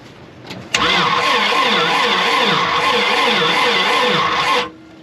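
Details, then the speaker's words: 1987 GMC Jimmy K5 diesel: about four seconds of sluggish, uneven cranking surging with compression, no start; booster pack didn't help; bad ground or starter cable suspected, possibly a dead cylinder. "okay I'm not a diesel technician but that is not spinning very fast maybe the battery is doesn't have a great charge"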